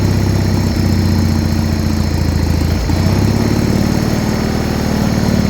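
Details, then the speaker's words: Original 1980 John Deere 317 lawn tractor, not run in about 3 years, finally started after pressurizing the tank and choking: steady low thrumming idle with even firing pulses, no knocks or misses; normal idle. "so she's finally started and idling"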